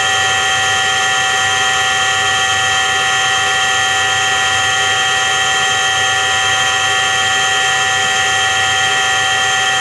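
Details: Washing machine drum spinning with a steady high-pitched droning hum and little low rumble, holding constant, typical of a worn drum bearing.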